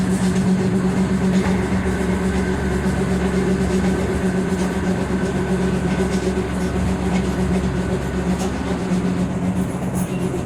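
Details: Leipzig LVB Leoliner NGT6 tram at cruising speed: running rumble with a steady, loose thump about four times a second, a wheel flat spot.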